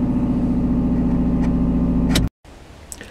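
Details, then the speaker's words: 2005 Toyota Echo at idle with a leaking exhaust manifold; the rest of the exhaust system is good. A loud, rapid ticking puff of about three or four beats per second continues until shutdown. Exhaust manifold leak, before replacing the manifold. "there is a leak in the manifold i'm going to turn on the vehicle and you will be able to hear how loud it is"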